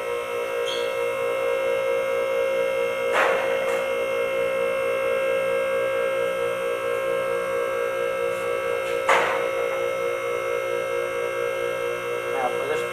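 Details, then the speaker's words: Four-post car lift raising a vehicle: steady pump hum with sharp metallic clicks as all four safety latches kick in. Normal operation before lowering the vehicle onto the last stop. "now we've gone up past we've heard all four of the latches latch in so now we're going to lower the vehicle onto the last stop"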